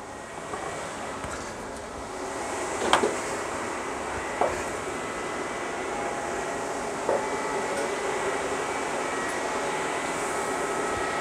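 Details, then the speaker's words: 1996 JDM Honda CR-V RD1 with a K24A3, AWD: both radiator fans forced on through KPro by setting the fan threshold to 50°F (sensor reading 55°F). Steady rushing airflow with a faint hum and light clicks; normal fan operation. "that's both fans on and it is glowing pulling air in through here yep"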